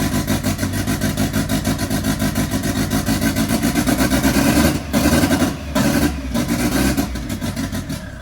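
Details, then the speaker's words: MK1 Fiesta with a Zetec turbo engine on a renewed start attempt after an ECU fault was fixed. A lumpy, pulsing idle with cutouts and stutters, now on all cylinders but very rich, so fuel is being reduced. "That is now running all cylinders. It is very, very rich. So I'm just going to pull a bit more fuel out."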